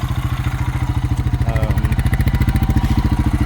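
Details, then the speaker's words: 2000 Honda Rancher idling with the dipstick removed: a steady single-cylinder beat of about 200 a minute with a chuffing pulse and clatter, indicating excess crankcase blow-by. The breather is clear, the shifter oil seal is blowing out, and a top-end kit is planned. "So you can start it up. It runs real good, but you just take the dipstick out and listen. Seems like there's a lot of excess blow by."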